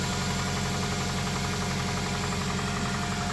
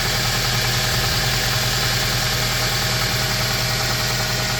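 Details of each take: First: 2001 Toyota Tacoma with 220k miles and code P0303, first start after new coil packs with a freshly charged battery: a rough-edged idle with uneven tapping just over two per second, possibly a valve; cause not confirmed. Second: 2001 Toyota Tacoma, 220k miles with little maintenance, after fixing a P0303 misfire with new coil packs: smooth, even idle with a steady low hum and no stumbles. It is no longer misfiring and runs better than in years.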